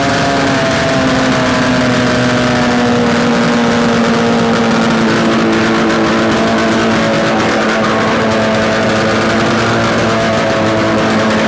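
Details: Yamaha RD250 two-stroke, bench-mounted on a stand with total-loss ignition, run after swapping the coil wires, on choke: busy, even crackle at a steady pitch with no knocks or rattles; no mysterious noises, likely a good engine.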